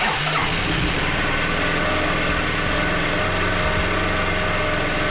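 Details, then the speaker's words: Yamaha Riva 125 scooter, fitted with a replacement carb, fires straight up and settles into a smooth, steady idle with no misses or knocks; normal start and idle, no fault with the motor despite reported bad compression. "You guys saw it. There's literally nothing wrong with this motor."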